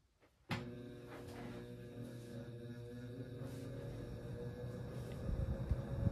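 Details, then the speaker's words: 1968 GE W-22 three-speed box fan on low: motor clicks on, then a steady low droning hum with buzzing resonance growing as the fan reaches speed; fan is loud, motor may need re-varnishing; source of resonance unknown. "okay I don't know what's resonating no idea what's causing that sound"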